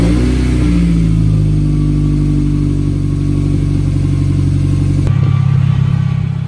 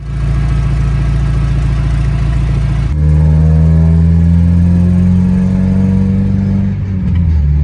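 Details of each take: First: Mazda Miata, about 30 years old with the known lifter tick, just restarted after the lifter-tick fix: steady, even idle with a low smooth drone and no obvious tick; any remaining tick may need a drive to recirculate oil; normal idle. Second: Roughly 30-year-old Mazda Miata small petrol engine idling and revving with a fast, buzzy ticking, the common hydraulic lifter tick, likened to a weed whacker.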